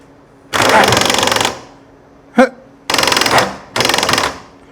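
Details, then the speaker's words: 1994 Harley-Davidson Softail in neutral, pressing start: three bursts of rapid even clicking with no engine catching, a dragging failing starter, not the jackshaft or clutch basket; starter to be replaced. "pretty unmistakable now with that clicking noise anytime you get that clicking noise it's your starter it's not the Jack Shaft or the gear that goes out plunges out and it's not the clutch basket anytime you hear that click click clicking sound like that that is your starter"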